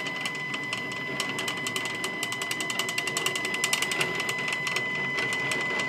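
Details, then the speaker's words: Stepcraft 840 CNC, new machine during setup, axis homing: fast, fairly even ticking chatter about twice a second over a high buzzing whir; noisy drive, cause unclear, owner plans to contact the maker. "man I haven't had CNC machines before but I'm pretty sure they're not supposed to sound like [Music]"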